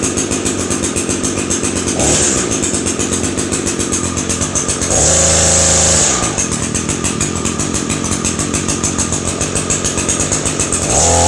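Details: Echo SRM 225 two-stroke trimmer, sat a few weeks, fresh dribble of gas, started on choke: buzzes steadily at idle, then revs cleanly and drops back twice, crisp and even; normal running.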